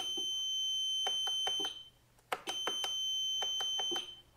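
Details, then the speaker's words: Piaggio MP3 400 scooter, suspension lock system fault: high steady warning beep with rapid clicking as the relay keeps trying to engage the lock gear motor and drops out, dash dimming on each attempt; gear motor seized. "Zobaczcie I od razu słychać przekaźnik który próbuje włączyć nam motoreduktor"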